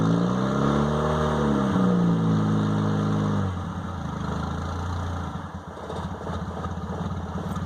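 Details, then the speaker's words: 1998 Honda Accord: after a slight throttle touch the engine hangs at 2,000–3,000 rpm, then sags back to a lower, uneven idle; idle control fault suspected. "so the idle, what happens is when I push the gas pedal down just a hair, it'll run between 2,000 and 3,000 RPM, and when I let off of it, it'll the idle will drop back down."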